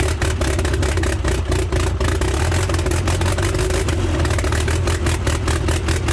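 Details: Freshly rebuilt Toyota 8RC engine, first run in the car, in neutral: loud rapid even exhaust pulses over a deep drone; runs, possibly a bit rich, exhaust very loud.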